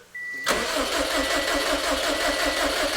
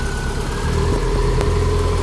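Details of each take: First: Built Subaru STI on Cobb Accessport base map, first start: starter spins the engine with an even chug about three times a second for three seconds and it never catches, because the crank sensor was left unplugged. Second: Built 2007 Subaru STI ("Hawkeye") first start after plugging in the crank sensor: steady, even low idle with a smooth rumble and no knocks or misses; the freshly built engine sounds healthy.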